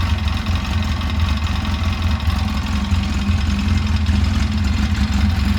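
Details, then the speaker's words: 2011 Polaris RZR 800 twin, rebuilt after engine issues, on its first heat cycle with coolant being burped: it gives a low, even throbbing idle with no knocks or misses and sounds healthy; it later kept starting and dying. "Running good though. Sounds good."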